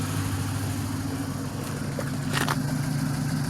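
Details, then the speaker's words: Pontiac Grand Prix V6, exhaust idling about 850 rpm: low, steady, even rumble with no misses, sounds much better after fixes; downstream O2 sensor was disconnected, still smells gas. "sounds a lot better i still smell some gas"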